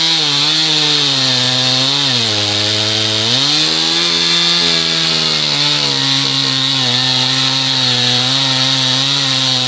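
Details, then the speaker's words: Husqvarna 2006 61 chainsaw with 18-inch bar, cutting wood after cold start: high, steady two-stroke scream sagging briefly as the chain bites and recovering cleanly; cutting strong. "I just love these 365 brilliant little sauce so let's do a couple of cuts here with it heck with the 61 both of these saws have 18-inch barn chains on"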